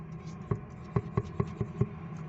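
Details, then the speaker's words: Chevrolet Onix rear suspension: soft hollow thuds about four per second as the rear is rocked by hand; worn loose bump stop drops from its seat and knocks, heard inside the car. "ele pega na parte de baixo fica batendo lá aí fica batendo lá embaixo ó ó é esse barulhinho aí que lá dentro do carro incomoda"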